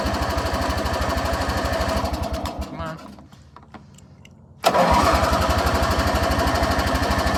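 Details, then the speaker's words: 1985 riding mower, just pressure-washed, kill switch rewired, on choke: engine chugs unevenly, nearly dies, recatches on further cranking and settles to steady thump; hard starting, owner suspects water on the magneto. "choke okay come on what's your problem I think sometimes the Magneto gets on or water gets on the Magneto and it will uh oh sorry it will um mess it up a little bit"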